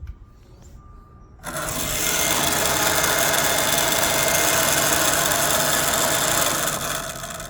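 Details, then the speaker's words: 2005 Mini Cooper gives a loud rough whirring grind for about five seconds, sometimes key on engine off, sometimes engine running, very loud inside; suspected noisy power steering pump cooling fan. "I suspected that guy it's power steering cooling fin start it up that thing's loud"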